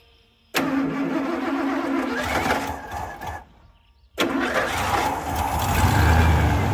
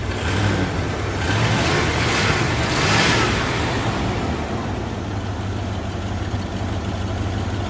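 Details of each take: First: 1987 Ford F150 302 V8, automatic C6, 4x4: engine fires, sags and dies, restarts to an uneven hunting idle with a slight stumble; vacuum gauge reads low; fuel pump pressure verified good, greasy fuel suspected; rough idle. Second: 1987 Ford F150 302 V8, automatic C6, 4x4, after fuel system work, possibly burning off fluid from a line: engine revs up and eases back smoothly, even firing, not shaking, no misses or stumbles; normal running.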